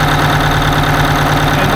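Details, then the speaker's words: 1980 Peterbilt 359 diesel idling with an uneven, loping miss: one cylinder not firing, and holding its injector rack makes no difference, so the injector is bad or something is wrong with that cylinder; no broken push rods seen. "that injector is bad or there's something wrong with that cylinder"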